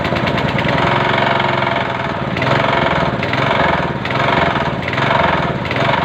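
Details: Chinese 6.5 hp gasoline engine: speed rises and falls roughly once a second, an uneven hunting run; mechanic says only the carburetor needs fixing, to be cleaned.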